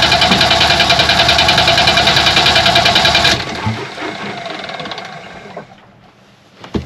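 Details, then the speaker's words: Sailboat Yanmar diesel: steady starter churn about three and a half beats per second for three seconds, stops without firing; fuel starvation, apparently from gunk clogging pickup tube and fuel pump, primer bulb popped. "you know it doesn't have fuel fil or fuel pumps electric motors yes I know I was going to try to push the primer bulb with my ear closer to the tank"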